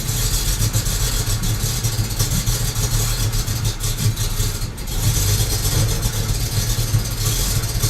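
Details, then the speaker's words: BMW N54 engine with uneven, lumpy idle, shaky low beat and stumbles; symptoms include long starts, misfires, soot from exhaust and smoke from both ends; possible fuel delivery problem suspected. "So that's a symptom. Long starts, rough idle, soot coming out of the exhaust, smokes from both ends, possible fuel delivery problem."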